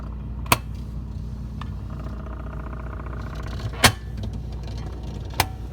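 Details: Whirlpool side-by-side refrigerator with three sharp, irregular knocks in six seconds over a steady low hum; intermittent knocking, cause unknown.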